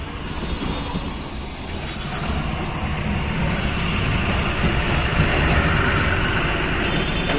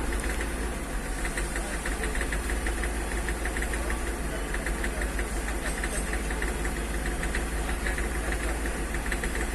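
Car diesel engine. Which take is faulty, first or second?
second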